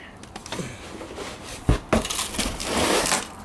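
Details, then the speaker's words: Loose dirt and remnants clattering inside a game cartridge found with an NES left rotting in a Kentucky barn for 20 years, exposed to the elements: an irregular gritty rattle with clicks each time the unit is tipped, before the case is opened. "which is still as as you can hear just making tons of noise from all of the dirt and Remnants in it"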